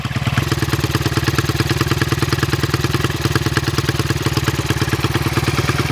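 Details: 1974 Honda XR75, 48-year-old single, after new plug and carb air-leak seal: steady thump about three beats a second with loose uneven clatter; runs but doesn't sound healthy, owner suspects worn carb.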